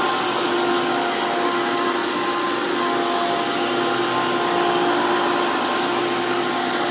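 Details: 2002 Hoover PowerMax II U5246-940 Elite upright vacuum with 12 amp motor and 20-blade fan impeller, after motor work: loud, steady high-pitched roar with fixed whine, no surging or rattles; motor and fan running normally.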